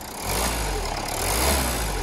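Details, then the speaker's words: 2016 Renault Kangoo Crew van, bought as a non-runner, brought back to running; engine picks up cleanly through a short rev and settles without misses or knocks; sounds perfect. "that sounds perfect let's get this buttoned up and i'll ring up and get it booked in for an m.o.t"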